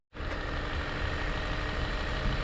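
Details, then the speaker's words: Chevy Malibu with P0556, hard brake pedal and hard start, after camshaft reluctor wheel repositioning, oil changed, running about an hour: steady, even smooth idle, no knocks, misses or whine, no check engine lights. "all right guys it's been running about an hour and told time yesterday and today it's all finished up"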